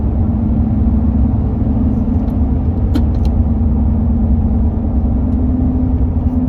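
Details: 2005 Toyota Tundra accelerating: a steady low hum at even pitch rides over engine and road rumble as the truck pulls; source undetermined.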